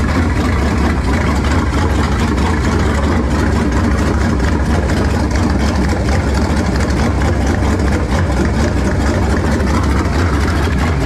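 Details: Warming V8 after swapping to a 2-barrel carburetor, vacuum port patched and taped, choke nearly open: deep, loud idle, fairly steady with a slightly uneven, lumpy beat. Runs much better but mixture still sounds off; slight smoke noted.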